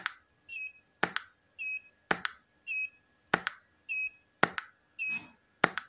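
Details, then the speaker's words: Goldphoto GP-250 studio flash after repair of a unit that had died totally, exploded and smoked, fired at full power: loud sharp double pops about once a second, each followed by a short high recharge chirp; discharging cleanly and healthy. "Mantap ya teman-teman, suaranya tuh. Plek-plek begitu ya. Kelihatan powernya gitu loh. Kelihatan tendangan si flashnya ini mantap begitu teman-teman."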